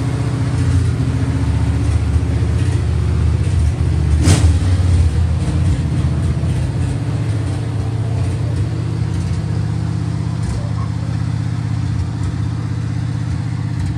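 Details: 1966 Chevrolet Impala, 350 Chevy V8 with Turbo 350 transmission, first start after 22 years unrun: after a brief rev, a deep, even V8 burble holds steady on all cylinders with no obvious knock or miss.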